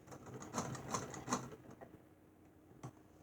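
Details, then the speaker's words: 1895 Singer Model 28 hand-crank sewing machine, 127 years old, restored from locked up; light quick clicking about 2.5 per second, slowing to a stop, no skipped stitches; smooth, free-running. "You can go as fast as you want with this thing. It does not skip a stitch, or you can go as slow as you want."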